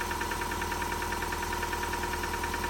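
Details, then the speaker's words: 2006 Subaru Forester with a home-rebuilt engine (it had overheated) on its first start without priming: a rapid ticking knock over a rough idle, and it won't rev. Cause unclear; the owner notes it needs a valve adjustment. "Well, it won't rev. It's [ __ ] knocking, dude."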